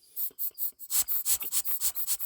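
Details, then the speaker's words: 1999 Chevy Tahoe 5.7L, EVAP purge valve removed from intake manifold: sucking on it gives quick repeated airy hisses as air flows straight through when it should block; valve stuck open (P0496), replaced with new valve. "That valve is wide open and it should be blocked."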